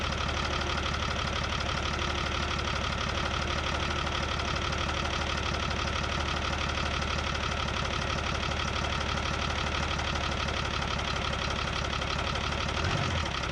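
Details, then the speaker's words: Isuzu 6BB1 diesel in a 1975 Chevy stepside, sitting since 1992, while bleeding the injection pump: slow, heavy, labored cranking about three strokes per second without firing, straining against each compression; owner thinks compression is high, starter and battery overheating. "thing sounds like a tractor I mean it basically is okay got to let the starter in battery cool down again the compression on this thing must be great because it's just being really rough on this starting system"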